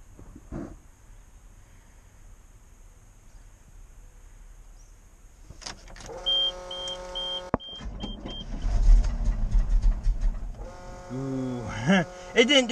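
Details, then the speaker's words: 1988 GMC 6000 truck on a booster pack: a slow, uneven starter churn drags on for several seconds without the engine catching. Hard starting, long cranking with no start. "ooh this thing's getting hard to start right now it's not liking me today what the heck are we gonna do things not wanting to start today"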